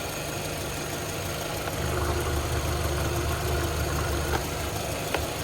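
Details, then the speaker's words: 2006 VW Golf Plus 1.6 MPI BSE petrol, 75 kW/102 hp, 189,000 km, timing belt replaced at 98,000 in 2015: quiet, steady, even idle with no misses or knocks. The engine runs smoothly, without smoking or misfiring. "Мотор працює тихо рівно це ваш улюблене 1.6 bsє 75 кВт 102 коне"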